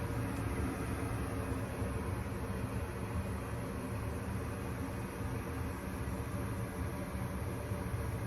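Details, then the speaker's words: Gas furnace on newly installed A2L R32 split system, startup after gas valve pressure adjustment: inducer fan, hot surface igniter, gas valve opens, burners ignite; steady even flame rush and fan, no flutter, running normally. "Gas valve should open. Burners ignite. Looking good. Everything sounds good. Looks normal."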